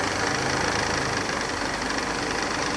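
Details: 1991 Mercedes 300CE that sat for years, idling after its idle control valve was cleaned, original spark plugs still in: steady, even idle with a smooth continuous hum and no misses or stumbles. Still smoking a little as the Seafoam burns off, but idling healthily.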